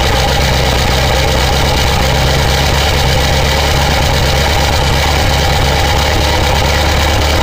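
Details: 2000 Ford 7.3 Powerstroke diesel cold start in 7°F Wisconsin weather (about 10 above said): steady, even idle with no lope, misses or surging, white smoke; normal cold idle.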